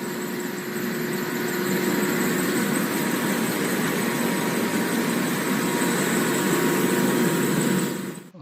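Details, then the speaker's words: Blower V-belt drive with the motor pulley sitting far inside the cover and the impeller pulley flush, misaligned so only one belt face grips: thin high squeal and rough chirping of a slipping belt shedding black dust. "이것도 찍찍 미끄러 겠 칙칙칙 미끄러지는 소리 들리시죠 그리고 이것도 정렬이 안 맞았어요"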